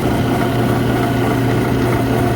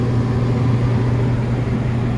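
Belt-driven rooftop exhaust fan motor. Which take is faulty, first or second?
first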